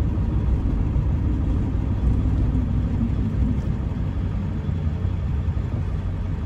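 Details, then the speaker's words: 1999 Ford F-350 SuperDuty 7.3 Powerstroke diesel dually, 88k miles, slowing for a corner on a test drive: low diesel rumble and road noise, no squeal, grind or whine. Pedal firm, brakes quiet and normal. "here if they don't make any noise at all they don't squeak or whine"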